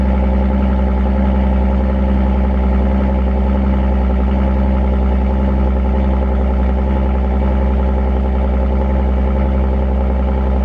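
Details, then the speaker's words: Audi S5 with Borla exhaust and resonator delete, plus an aftermarket intake, at cold start; a deep, loud, steady, unbroken exhaust drone at idle that quiets once warmed; normal cold-start idle. "But yeah, that's what it sounds like on cold start. It's pretty loud. Then it dies down after it warms up a bit."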